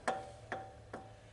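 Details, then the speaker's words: Marshall amp with PCB, reverb fixed, chassis about to be pulled: three sharp pings ringing at one mid tone over a low hum; suspected microphonic part gone bad. "Tends to make me think that we've got something in there that's gone microphonic and it's gone bad."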